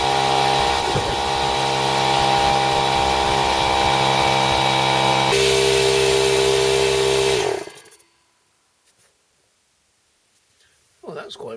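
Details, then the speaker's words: Secondhand small Stanley air compressor tested after purchase: fast, even chugging for about seven seconds with steady pitch, no knocks, clean shutoff, reaching about 110–115 PSI; normal running. "it soon pumped up to about a 110 115 PSI so certainly uh no problem with that so far"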